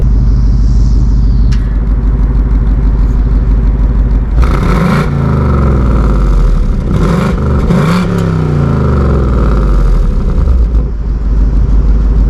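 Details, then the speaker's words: 2024 seventh-generation Ford Mustang GT V8, revving in quiet, normal, sport or track exhaust mode; deep burble with sharp blips rising and falling cleanly, modes differ mainly at higher rpm, similar at idle; healthy exhaust. "If you want to hear the difference you really only hear the difference of it at a higher RPM between normal, sport, and track. Idling, they sound kind of similar, but it's really when you drive it and rev it."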